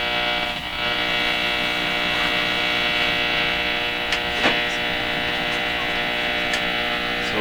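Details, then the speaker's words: 1940s Philips PH202 tube console radio, AM with loop to outdoor antenna: loud steady buzzing hum with overtones and faint crackles, caused by the laundry room light switching on. Electrical interference hum. "what what's happened here is I I've triggered the light in my our laundry room to come on it's creating all this noise"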